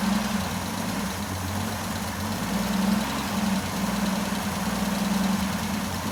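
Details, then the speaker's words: Jeep J10 with rebuilt carburetor, about two gallons of fuel, oil pressure and charging voltage present, oil burning off: smooth, even low idle holding steady with no misses or knocks; normal idle. "Um, so yeah, it's uh let it run here in a minute. See if it'll just kind of keep purring."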